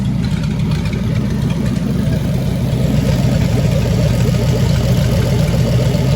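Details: 1927 Roadster Flathead V8, first start-up, oil with added additive: deep, steady, even low-speed burble with no knocks or misses; idles smoothly with good oil pressure.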